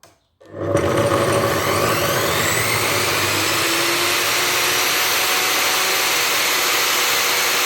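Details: Profile saw (jigsaw) motor started after a soft start module was wired in, red lead to a switch output, blue in parallel with the motor feed, black direct to the motor: winds up gently, then steady even whir with no bogging; healthy start.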